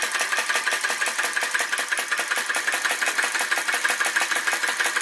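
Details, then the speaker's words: Retro VE-01 crossbeam vacuum engine with added drive pulley, belt-driving a heavier bearing-mounted DIY Baker fan: crisp, regular gulping ticks about three per second, a touch uneven. Engine labouring hard under the fan load. "it's working hard you can hear it working hard very fine adjustments make such a big difference"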